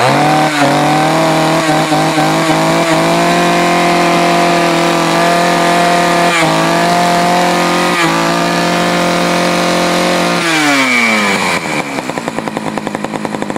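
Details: Poulan 4200 chainsaw, warmed up after a cold start, reported running a little lean: high steady scream held about ten seconds, then revs fall to a patchy idle. Lean mixture suspected.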